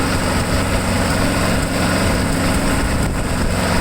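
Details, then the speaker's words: Craftsman mower engine, newly acquired with a cracked shut-off cable and a no-name spark plug, carburetor still uncleaned: small single-cylinder chugging unevenly with a lumpy, wavering beat; runs but rough. "we know it runs it doesn't run great"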